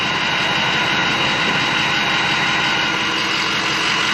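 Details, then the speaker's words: Hydrolocked 2007 Ford 6.0 Powerstroke diesel revived, after first test drive with air bled from fuel and oil systems, no smoke: smooth, even idle with steady turbo whistle over the clatter, no misses or knocks; sounds perfect and healthy. "Everything sounds perfect, normal, healthy. Not an ounce of smoke. Smells perfect."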